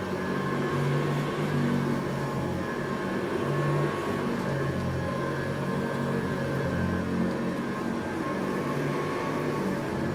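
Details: Eureka Montgomery Ward SP-824A upright vacuum, possibly 1965, 3.5 amp, metal fan, motor rebuilt by collector, new VG II brush, temporary Sanitaire bag: steady even motor drone, constant pitch, no rattles or scraping; sounds like a 3.5 amp Sanitaire, like brand new.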